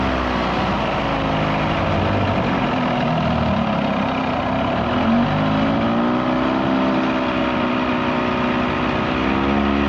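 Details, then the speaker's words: 1979 Evinrude 35hp two-stroke outboard after adjustments; it earlier failed to reach wide open throttle. Now a steady, even drone at constant pitch over water, no misses or surging; running cleanly at speed. "oh she's running just fine now no issues there she's running up"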